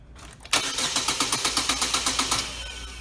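Even cranking at about four beats a second for two seconds, then it winds down without ever firing; it cranks but won't start. Cause suspected, not confirmed.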